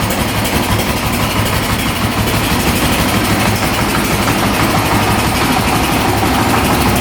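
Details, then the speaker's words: 2008 Honda TRX700XX 700cc quad idling with a loud, steady, even beat and no knocks or misses; running perfect, no issues. "it sounds like it's running perfect. No issues there."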